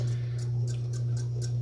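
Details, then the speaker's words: Mid-1950s Wright & McGill Fre-Line Model 10-BC spincast reel after service: a steady hum with a light tick about four times a second that persisted after a cover dent was popped out; owner suspects the spinner-head plastic cover rubbing the spool. "mean it's not really affecting the smoothness of operation it's just annoying little rubbing it must be something to do with that plastic uh cover in there on the spinner head uh just rubbing up against the uh the spool"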